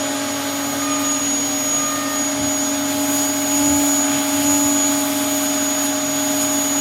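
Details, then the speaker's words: Dyson DC07 Origin vacuum reported to overheat and die after about 10 minutes, run with washed and new filters: steady high motor whine with strained edge and airflow hiss before cutting out. The motor is very hot and failing. "That has just turned off. The motor is failing on it."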